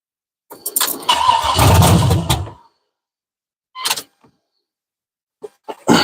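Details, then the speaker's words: OBS truck with 6.0 LS swap, first fire with open headers and no fuel supply hooked up: loud roar for about two seconds then stalls; oil pressure rises; engine fires briefly then dies from no fuel. "they said it won't run very long because I don't have I don't have the right I don't have no fuel run to losing man"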